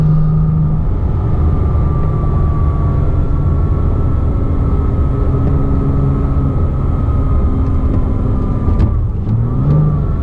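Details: 2007 Porsche Cayman S, 45,000 miles, manual, heard in neutral when revved, most noticeable around 3000 rpm: thin steady high-pitched whine over the engine, gone with clutch disengaged; worn water pump bearing, fixed by replacing the water pump.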